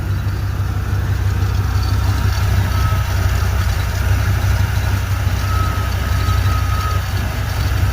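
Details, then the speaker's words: Chevy K1500 with throttle-body-injected 350 V8, sat almost a year but noisy for years: steady idle with a thin, high squeak coming and going, seemingly from the engine front or deep in the block; owner suspects a lubrication problem, unconfirmed. "Chevy guys what what is this awful horrible squeaky noise uh is it a bar is there an oil Galley plugged like like why why are we not lubricating something is what I'm concerned about"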